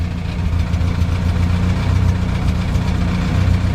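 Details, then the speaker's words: Crosley "cold start" on a roughly 90 °F day, no throttle touched: fires right up with 40-plus lb oil pressure and settles into a smooth, even low rumble with no knocks or misses; healthy idle. "so far it started every time I've tried this I didn't touch the gas once the starter scares the crap out of you she fires right up with 40 plus lbs of oil pressure"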